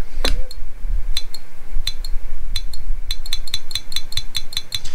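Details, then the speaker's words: RocketBox 250HD-MOS amplifier on SSB with no sideband delay (22 µF delay capacitors not enabled): sharp, rapid relay clicking in uneven bursts as it keeps dropping out and pulling in; the relay risks burning out. "you see how much you're opening and closing that relay it's going to burn out it's just going to it's going to burn out"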